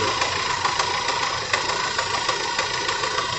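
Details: 1991 Fiat Uno 1.3 warmed up at idle: runs steady with only faint light ticking; the loud gearbox noise heard when cold has gone once warm, cause unknown.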